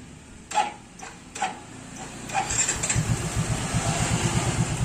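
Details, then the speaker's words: Motorcycle started with its old spark plug fouled from Pertalite fuel: three short starter bursts fail before it catches and idles unevenly; hard starting, unlike with a clean new BRZ AR12C plug. "Agak susah nyala dong. Beda dengan pakai yang ini. Sekali starter cases kleng ya. Pakai yang busia sebelumnya yang udah kotor."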